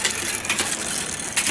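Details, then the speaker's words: Bicycle front derailleur during assembly, after the limit screws were checked: shifting down to the small ring and up to the middle and big rings gives light chain clicks and crisp clunks with no grinding or rubbing; the shifting is judged good. "Down to the small, up to the middle, up to the big. On this particular bike, I would consider the shifting good."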